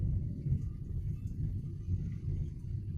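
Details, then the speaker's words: Suzuki Ertiga automatic road test at higher speed after front suspension repair (CV joint boot, stabilizer link, shock support): steady low road rumble, no clunks or knocks; front suspension quiet and tight, unlike the earlier CV-joint clunk. "Kita coba agak kencang. Oke, aman. Enggak kayak yang kemarin."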